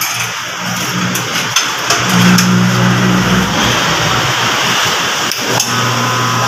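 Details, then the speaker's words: Mitsubishi L300 Euro 4 alternator on test bench after replacing noisy old bearings spins with an even hum and no grinding or whine; quiet alternator, normal running. "sirit guys t na wala na siyang ingay"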